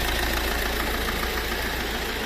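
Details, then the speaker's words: Fiat Ducato van diesel at idle with a dense, even internal clatter and no clean gaps; engine knock; teardown found the oil pan badly dented. "Mais uma vanzinha aqui, né? Com um barulzinho no motor aí, ó. Vou ligar para vocês verem aí, ó."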